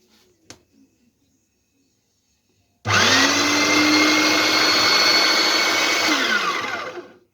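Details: Philips 1600 W meat grinder: motor whirs up to a steady high speed, then sags and dies as meat is loaded; gearbox teeth intact, worn safety coupling not driving the auger, coupling replaced.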